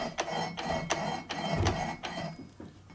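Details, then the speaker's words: Crosskart build with a Kawasaki Ninja H2 SX SE supercharged engine, half shaft spinning: a dry scrape about three times a second, once per turn, as one part scrapes against another. "It sounds like something's rubbing against something."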